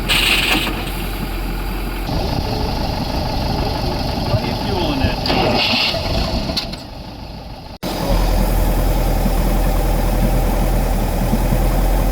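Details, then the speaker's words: Twin-engine speedboat with both engines rebuilt: starboard engine idles steadily with a loud low rumble while the port engine drops out briefly and catches again, port engine hard starting. "But, as you can see, we're having problems with the port engine as per usual."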